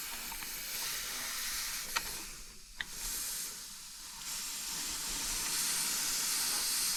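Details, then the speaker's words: Truck air suspension bags aired up for the first time in a long while: continuous sharp high-pitched hiss with no engine rhythm; compressed air leaks at the suspension. "so the bags have aired up for the first time in a long time we have some air leaks there"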